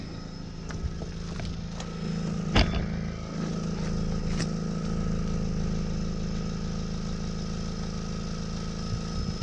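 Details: Exhaust system leak: loud, raspy engine idle that swells into a blaring rev, noisy from the leaking exhaust pipe or muffler.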